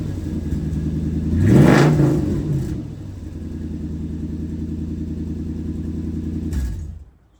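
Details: Toyota 100-Series Land Cruiser V8 before repair: loud raw deep unmuffled rumble blaring when revved; cats and muffler rusted through, worst exhaust leak, beyond patching or welding.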